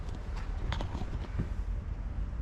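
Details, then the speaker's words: Knock test on a bare interior sheet-metal panel of a 2018 VW Crafter MWB van before Dynamat sound deadening: knuckle raps ring hollow and tinny with a short boomy ring, showing no deadening. "So see, that sound is quite hollow and tinny."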